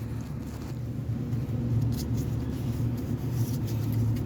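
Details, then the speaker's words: Ford engine idling that sounds like a misfire even after new spark plugs and wires: low, lumpy, uneven surging and stumbling idle, actually a vacuum leak from the rear intake gasket. "so that's we call the vacuum leak so that's why it's looks like the sound is look like mispiring but it's not misfiring this is a vacuum leaking you guys"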